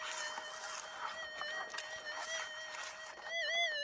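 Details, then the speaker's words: Minelab SDC2300 metal detector in the field: a steady high threshold hum whose pitch wobbles and swells as the coil passes back over a small, light target found there. A target tone. Target signal threshold break. "and now you can hear that threshold break guys so that's a target tone on an sdc"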